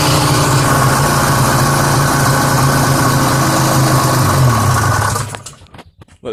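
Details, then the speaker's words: 1972-73 Polaris Colt SS 340 two-stroke snowmobile, about 50 years old: crisp, even two-stroke putter at a steady fast beat with no misses or knocks, then shuts off; runs really good. "just wanted to start it up for you guys just so you guys can't call me a liar that it didn't run it does run really good"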